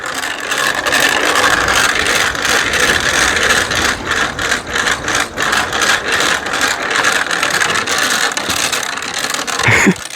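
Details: Bicycle with a 3D-printed gear drive replacing the chain, in an extreme strength test under full rider weight: rough ratcheting scrape rising and falling with each pedal stroke as gears rub sideways; cause suspected, not confirmed.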